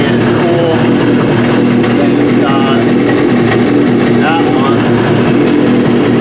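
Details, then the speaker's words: Trashed Yamaha RX-1 Mountain snowmobile with sensors disconnected, throwing temperature, oil and check-engine alerts, ridden about a mile. Constant smooth note holding steady revs, motorcycle-like, no ticking, knocking or stumbling. Runs properly. "is so yeah i mean it does seem to run pretty good"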